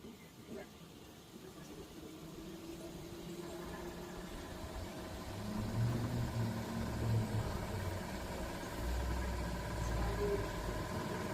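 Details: Fully electric Kia Soul with A/C switched on: steady multi-tone hum and heavy low droning rumble from the A/C compressor, which still cools well; compressor to be removed and checked for internal cause.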